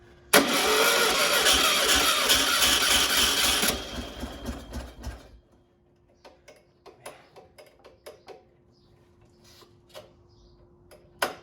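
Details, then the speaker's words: 1600 dual-port VW engine from a 1969 Karmann Ghia, sat unknown years, mileage unknown, on a run stand: about three seconds of steady cranking that never catches; crank no start, fuel seen squirting; owner suspects the starter died. "I think our starter died on our super awesome new start stand which sucks the engine came close-ish a few times so it's still a mystery whether this engine's good enough to live another day"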